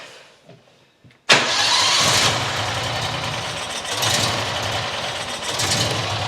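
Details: New John Deere XUV side-by-side petrol engine fires and idles unevenly, swelling and sagging every second or so; rodent nest found, owner suspects dirt in carburetor; rough idle.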